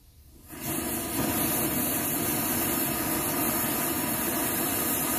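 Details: Vintage Rogers Akron Ohio M1950 military stove, after alcohol priming and pressure build-up: a quiet start, then it catches into a steady, even rushing roar with no sputter; the pressurized burner works properly.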